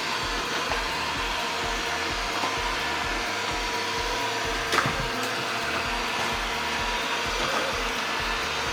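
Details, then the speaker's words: Eufy RoboVac 11 robot vacuum after fixing a stuck roller brush and fitting a new battery, a week of use later: steady, even fan and brush whir with no catching, clicking or surging; runs about 2 hours per charge, normal running. "Runs for about 2 hours before the battery dies down. It's working perfectly."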